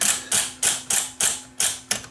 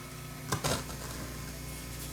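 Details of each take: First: Viking SC5894 8-track cartridge recorder on the bench, with the track-change solenoid triggered by a screwdriver jumper: sharp mechanical clacks about three per second over a faint steady hum as the head moves up and down; normal solenoid operation. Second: Vintage Viking SC5894 8-track cartridge recorder, first power-up before service: the motor hums and turns, but the tape drags with an uneven scraping rustle and a sharp clatter near the end. The old cartridge's tape is jammed.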